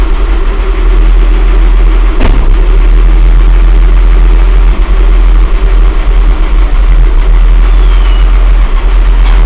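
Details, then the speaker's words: Mercedes W126, back running after repairs, driving slowly: heavy, deep, steady drone low under the engine note; the muffler rumbles loudly, pleasant inside the cabin, suggesting a tired, leaking muffler. "глушак конечно бухтит ну приятно в салоне"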